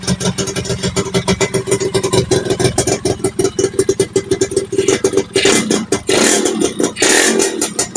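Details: Yamaha FIZ R two-stroke with original parts except primary gear and CDI, lower reed chamber replaced, pulser not yet checked. Choppy bursts with sharp irregular pops under throttle; owner suspects pulser or lower compression leak, cause unconfirmed.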